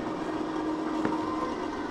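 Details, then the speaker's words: Indoor HVAC unit in a closet, tenant reports it running nonstop all week with a loud noise then a lower one: steady whirring drone with faint tones and one click; condensate pump suspected, not confirmed. "but then this week the inside is making this noise and it'll make like a loud noise and then go to whatever this noise is but it's been doing it all week"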